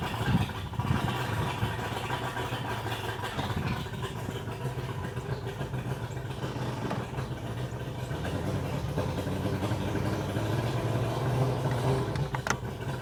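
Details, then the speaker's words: 2001 Mercury 200 hp EFI outboard on a ProCraft boat, on hose, customer reports power loss, won't exceed 7 mph despite new ECU, power pack, coils, wires, plugs: low idle with irregular stumbling beat, seemingly not firing on all cylinders; compression test next. "Alright, you can tell she's sick. Sounds like she's not firing on all cylinders to me. It's not an even, like you don't hear it even, like it's off or something."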